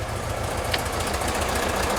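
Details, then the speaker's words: 1971 VW Bus with dual carbs (34 ICT/EPC) and new exhaust just installed, started after firing order corrected and carbs being balanced: steady even idle with a smooth low thrum and no misfire; normal idle. "This exhaust always sounds good. I'm happy with it."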